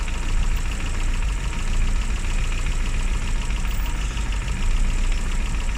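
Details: Classic Mini (Riley Elf) with points ignition, idling after a hard cold start on the year's coldest day, following about three months unused: low, steady rumble with no speed changes; continuous normal idle.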